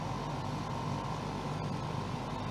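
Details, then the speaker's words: Portable air conditioner after repairing its exhaust fan motor: steady even hum with constant low drone, no cycling off. Previously it shut down because it couldn't get rid of exhaust heat; now it keeps running normally. "is still on now so it would have turned off by now previously couldn't get rid of that exhaust heat"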